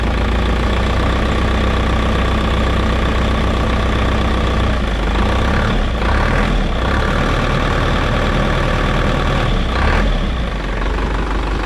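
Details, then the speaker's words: Isuzu NPR diesel that sat for years, after fixing a fuel leak and fitting a new primed filter: deep, steady diesel clatter at idle with two light throttle blips that rise and settle cleanly; running well, no warning lights. "She's running, guys. That was actually really easy after we fixed that leak. Sounds good. That actually sounds really good."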